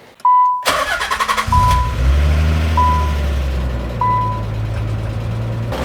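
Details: 1992 Nissan 300ZX twin turbo after an intercooler swap and tightening loose intake clamps: the starter whirs briefly, then the engine catches cleanly into a steady idle with a smooth rev; healthy.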